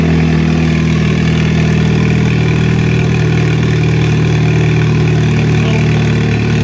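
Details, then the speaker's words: 2004 Chevy Cavalier, 2.2L Ecotec I4 with 57mm turbo, first start after relocation, no intake or exhaust sensors, exhaust half on, years-old fuel; cold start in enclosed shop: loud steady even idle, deep exhaust drone, faint turbo whistle, running smoothly. "It's loud, but it's not too loud. We're in an enclosed shop right here, and it wasn't blowing our eardrums out with a cold start."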